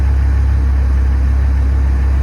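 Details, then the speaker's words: 6.8 L V10 idling after repair of broken exhaust studs, including a crooked hole into a water jacket that caused a coolant leak; about 300 miles since. Deep, steady, even idle, no ticking or manifold puffing: normal idle. "um I am amazed that I was able to repair this but as you can hear it is running driving"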